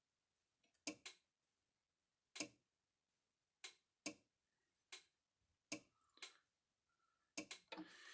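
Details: Repaired Gallagher MR2500/MR5000 fence energizer on a load, both lights flashing, about 35–38 output joules: sharp dry clicks roughly every second and a half, some doubled; normal pulsing under load.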